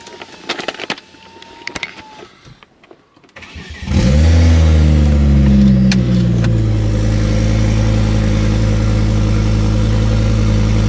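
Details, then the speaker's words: Ford Focus ST/XR5 Turbo after a start, before repair: loud, raw, deep open-pipe idle with an uneven rhythm; severe misfire attributed to an exhaust leak. "the new addition to the channel is actually having a pretty severe misfire and it's all actually because of the exhaust so"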